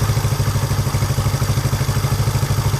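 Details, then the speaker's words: Honda 350 twin after throttle cable adjustment, carburetor sync and idle mixture setting: smooth regular low thrum with even pulses, no popping or missing on revving; idles cleanly. "Sounds pretty good. Let's see how it does when it revs up. See if it pops or misses. Doesn't pop or miss."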